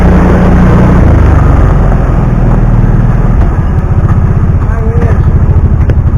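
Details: 2009 Kawasaki Teryx 750 fuel-injected, after the fix (nail inserted in center section) for backfiring and power loss when warm: deep steady thumping about four beats a second, no pops or stumbles; runs perfect.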